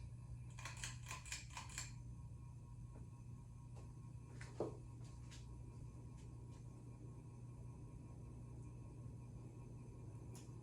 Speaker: as you can hear the the the noise gets a lot worse on medium